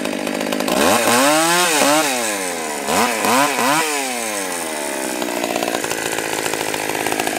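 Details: Stihl 020 AV chainsaw, first cuts after fitting a new clutch, chain and nose-bearing bar: revs up crisp and clean, pulls down into the cut and recovers smoothly each time; healthy, strong-running saw.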